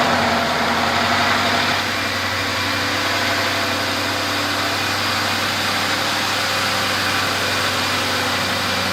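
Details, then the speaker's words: Ford Crown Victoria 4.6L 2V V8 after repair, injectors had been removed and refitted, fuel leaks checked; steady even idle with no clickety-clack valvetrain noise; timing chain identified as source of the earlier noise. "Bingo bango. No more clickety clack here."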